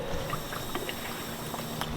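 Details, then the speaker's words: Honda Civic Si with replaced head gasket, combustion leak test at coolant filler: quiet irregular gurgles and pops of air bubbling through coolant; cylinder pressure leaking past head gasket or warped head, owner believes warped head. "y'all see how it's still bubbling so the air is getting pushed through the head gasket or the cylinder head and it's pushing through here so i know one or the other i either got a blown head gasket or a whooped head"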